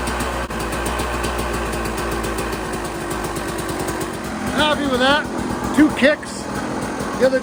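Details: KTM 200 XC-W two-stroke after carb clean; crisp, even popping at fast steady idle on choke without stumbles, engine healthy.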